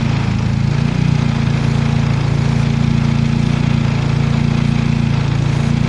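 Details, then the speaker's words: Turbocharged car with P0507 high-idle code: steady fast idle, no stumble; brake parts cleaner sprayed on vacuum hoses changed idle at white T fitting, suspected vacuum leak added with turbo plumbing. "That right there, I think, is a significant change in idle, my friend."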